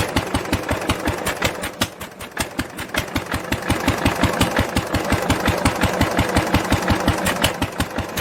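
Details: 1946 International LBBR 3-5 hp hopper-cooled engine off a hay press, with a homemade glasspack muffler fitted: even, regular thumping exhaust roughly 165 beats a minute with softened tone; normal running.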